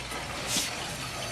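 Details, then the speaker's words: Hydronic heating system with the burner off and the returns closed, purging a suspect loop through the purge valve: hissing, sputtering spits of water and air instead of a smooth flow, showing air trapped in the loop. "can feel the ear in my hand I can hear it definitely ear in there"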